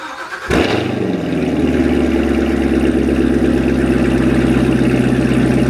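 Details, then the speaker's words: Corvette Z06 V8 after maintenance, owner having worried about plug wire arcing: quick crank, then a smooth, steady, deep idle with no misfire stumble; sounds better than before. "Just sitting here listening to the car idle, it already sounds better than it did before I did this."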